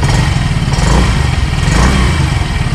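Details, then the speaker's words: 2025 Yamaha Gravis 125 air-cooled scooter, started with one click: small single putters at an even, quick idle with no ticking or misses, sounding much like a Yamaha Mio Gear and Mio i. Normal idle. "Ito guys, yung andaran ng ating unit, halos katunog na katunog to guys ng andaran ng ating Yamaha Mio Gear at Yamaha Mio UI. Halos same na same."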